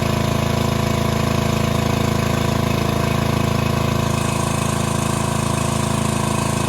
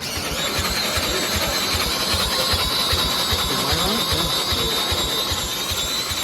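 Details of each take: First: Gravely machine with an overhead-valve small engine, first run after repair, valves found slightly loose and adjusted: a steady, even single-cylinder beat at about three pulses a second with no knocks or misses; normal running. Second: Gravely Rapids with Briggs Vanguard overhead-valve engine, running after valve adjustment: small single with a hunting, rising-and-falling note over rapid even pulses, sounding like a vacuum; abnormal running, cause unclear.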